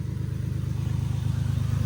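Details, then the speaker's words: Infiniti G37 idling with a misfire and a hole in the exhaust: uneven, rough, stumbling chuffing idle, with the engine shaking; owner plans to swap parts. "Like I said yesterday, my engine's still shaking a little bit cuz like I said, I'm misfiring."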